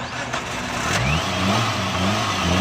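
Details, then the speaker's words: Suzuki Alto VXR carbureted petrol engine, missing at top speed and unable to exceed 100: on throttle the revs rise sluggishly, hang, and the engine shuts off. Bogging on acceleration; carburetor fuel, pump pressure and double-venturi setup to be checked. "ये देखें दोस्तों, ये बिल्कुल रेस नहीं ले रही गाड़ी। ये बंद हो जाती है।"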